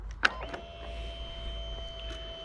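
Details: Cub Cadet 3X MAX 34-inch 420cc fuel-injected three-stage snow blower, engine off at key-on: click, then a quiet steady electric hum as it cycles through; fuel pump priming normally.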